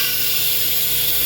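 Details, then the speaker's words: Sandblaster, air on, pressure building (set 20–80 psi): steady, even high-pitched hiss with no pulsing, just air escaping from the foot pedal through a release valve, which is normal. "can hear a hissing sound, which is okay. It's some air escaping from the foot pedal through a release valve."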